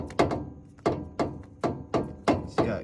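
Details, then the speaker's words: 2001 Toyota Tacoma inner tie rod, outer tie rod removed, shoved by hand: loose hollow clunks, loose as a noodle with no grease at all; an aftermarket part. A badly worn inner tie rod clunk. "clunking and it's as loose as a noodle oh man i don't haven't seen a worse inner tie rod than this look at that just hanging in there poorly no no grease at all"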